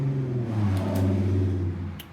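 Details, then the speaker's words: 2009 Aprilia RSV1000R, starter jumped at the solenoid: low heavy cranking for about a second and a half turns the engine over once, then stops with only a click; owner first suspected burnt-out solenoid. "anyways it uh it turned the motor over about once and then just stopped and now the still annoyed just kind of clicks sounds like ah my solenoid burnout"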